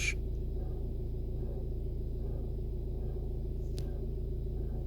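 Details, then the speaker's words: VW Passat B7, warm after driving, in neutral with clutch released: faint rough scraping about three times a second over idle, cadence rising with revs; seems from bulkhead front, under dash or engine bay. "put my foot on the throttle now just to increase the revs and the cadence of that noise is increased as well don't know if you can hear that over the revs of the engine it just sounds like it's coming from front of the bulkhead it's either under the dash or in the engine bay"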